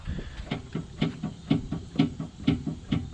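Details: 2007 V6 Mustang track car, body rocked by hand: hollow dull low clunks about twice a second, worst on the driver's side, absent on the passenger side, heard over every bump; typical of a worn sway bar end link.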